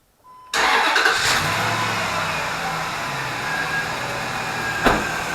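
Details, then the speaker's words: 2004 Dodge Dakota 4.7L, started after an engine flush: cranks, catches quickly and settles into a smooth, even idle with no top-end ticking; earlier lifter tick gone after the fix. "and you can hear that the um ticking um of the lifter has uh completely stopped"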